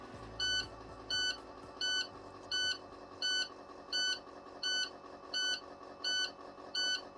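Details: 2020 International truck with Cummins diesel, after reinstalling cleaned SCR, DOC and DPF filter: sharp high beep repeating about 85 a minute over faint low idle, warning that a DPF regen is needed.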